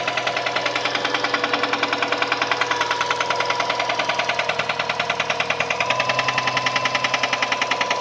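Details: Subaru EJ204 engine running with a hard, regular metallic knock three to four times a second; teardown confirmed a spun connecting-rod bearing on cylinder 1 (rod knock).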